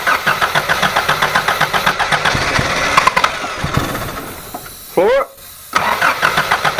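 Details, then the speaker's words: Toyota Hilux with points ignition, running on the suspected bad condenser; owner first suspected a blocked carburettor but fuel is getting through: engine catches, stumbles with uneven lumpy beat, nearly dies; rough running from weak spark. "all right so we've seen how this running it's running like a beggar dog won't run at all really"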